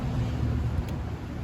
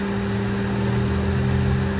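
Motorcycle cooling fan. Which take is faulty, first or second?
first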